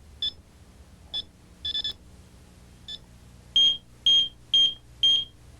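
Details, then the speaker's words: Att 9000 home alarm arming with back door open: a few soft keypad chirps, then four loud high beeps warning of an open unprotected zone, instead of the single arming beep. "that means that the system is protesting and letting us know that there is an opening unprotected and you don't need to run around the house to find the open door"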